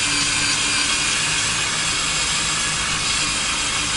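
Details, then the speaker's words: Drilling steel to fit a Torklift StableLoad on a 2019 Ford F250 Super Duty, bit lubricated with motor oil: a steady, even cutting hiss; the earlier chirping has gone, so the bit is cutting normally. "you hear the chirping kind of went away there oh apply a little bit more pressure again"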